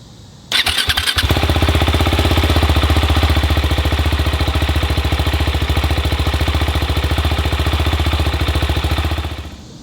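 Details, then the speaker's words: Husqvarna Svartpilen 701 single-cylinder motorcycle, cold start: quick crank, then catches and settles into an even, steady, quiet thump likened to a sewing machine, soft exhaust note; healthy cold idle. "okay guys so as you can tell the bike kind of sounds like a sewing machine it's not very loud uh the exhaust note's not all that great"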